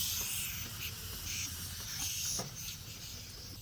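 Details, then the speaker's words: Craftsman 33-gallon air compressor, motor off: faint steady high hiss as air escapes at the air hose coupler; the earlier pressure switch leak was fixed via the check valve, and the coupler still needs replacing. "all right so the problem through the pressure switch is fixed and that's fine but um now I got to switch out this little thing for the air hose and that's a leaking"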